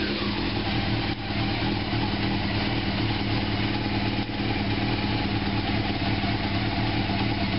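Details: 1987 Honda CBR600F Hurricane after fitting four new spark plugs, previously running on three cylinders, new battery, oil change: steady, even idle with smooth unbroken exhaust beat and no skipping; all four cylinders firing cleanly.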